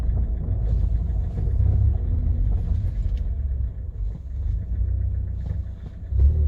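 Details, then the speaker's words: Kia Cerato with 472,000 km, test drive after replacing worn door hinges that had knocked when pulling away in first gear; only low road rumble and drivetrain hum, no door knocks or clunks — normal driving, no door knock. "значит дело было петлях дело было петля"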